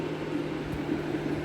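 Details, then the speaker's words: 2013 Mercedes A180 W176, M270 1.6 turbo petrol automatic, overheating with no cabin heat after thermostat housing replacement didn't help: cooling fan roaring steadily on high as engine starts overheating; owner suspects water pump not circulating coolant. "But as you can hear, my fan is going off, and that's because the car is starting to overheat,"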